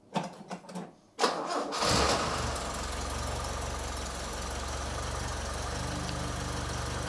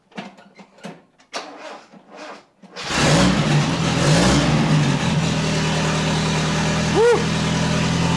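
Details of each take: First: Toyota RA28 Fastback Celica being prepared for roadworthy inspection, after fitting a complete new exhaust; short crank, firm catch, smooth even idle with steady low exhaust drone, no puffing or ticking leaks. Normal exhaust note. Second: Toyota RA28 Fastback Celica being prepared for roadworthy inspection, earlier recording with only half the exhaust pipe fitted; starts into a loud raw raspy drone with a rev blip. Far too loud from the incomplete exhaust.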